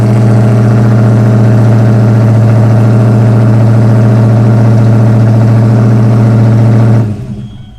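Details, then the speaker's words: Ford Foxbody Mustang after a new 255lph fuel pump install: fast, steady idle well above normal, then cuts off; the throttle body idle screw was turned in earlier when the old pump was bad. "I think I had the throttle body turned up. She fired right up. I think I had the, when the bad fuel pump was in there, I had the screw on the throttle body turned in."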